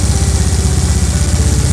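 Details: Honda Beat FI scooter after CVT repair; the worn, loose roller housing and thin V-belt had caused rough noise. Now a steady, even low putter at idle with no rattle or grinding from the belt side; the drive is smooth.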